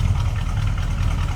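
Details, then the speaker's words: 1967 Dodge Coronet R/T 440 V8, automatic, warmed up a little, recorded at the rear: deep, even, lumpy exhaust rumble at warm idle, steady beat, no tapping or misfire; normal healthy idle. "Nice deep rumble to it. This car will definitely turn some heads."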